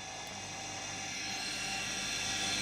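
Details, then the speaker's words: Homemade 230V 3-speed fractional-horsepower induction motor (65/95/130 W), stator and rotor from old central heating pump, self-cast aluminium housings, starting on speed 1, tone changing slightly between speeds. Steady even whir with airy fan rush, no knocks or scraping; normal running. "that's on the lowest speed at the moment speed one fire up the speed you'll hear the motors changes tone"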